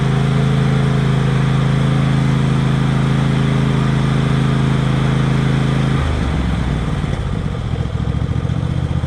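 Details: Tractor twin-cylinder engine after rodent damage repair (fuel line replaced, spark plug changed on the cylinder run on one cylinder): even beat with no dropped firing, easing off smoothly as revs fall; running fine.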